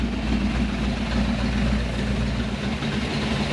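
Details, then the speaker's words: Chevrolet Malibu small-block V8 just after a new top end (heads not replaced), rockers not yet adjusted, so some valvetrain noise: deep, even idle with no misses or knocks, oil pressure above 40, temperature coming down, a normal idle. "I think that's just noisy pal the Rockers are not adjusted sounds good runs good Idol's good good oil pressure"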